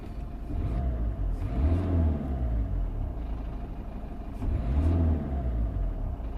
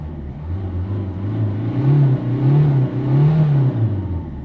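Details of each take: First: 2004 Citroën C3 1.4 L HDI diesel, engine light on, code P1164 fuel rail pressure sensor, sometimes hard to start. Under throttle the revs rise twice, then flatten and fall back, capped just over 2500 rpm; rev-limited limp mode. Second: 2004 Citroën C3 1.4 HDI diesel after the fuel rail pressure sensor fix, out of limp mode (it previously would not rev above 2500 rpm), engine light still on: deep steady drone rises and falls smoothly with each throttle blip, no stumble; revs freely, healthy.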